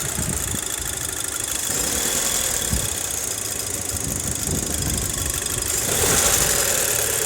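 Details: Audi A4 at idle: loose, irregular tapping of about three to four knocks a second over a hissy top end; knocking, cause unclear.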